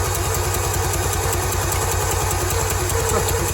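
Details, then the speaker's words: 2003/04 Polaris Barrage fuel-injected jet ski that had long sat unused in weeds, with new plugs and 2-stroke oil pumped into the cylinders, cranked by grounding the black wire. Fast, even cranking that never fires or stops: the starter won't disengage. Spark not yet checked. "It won't stop. Stop. Wow. Oh my goodness."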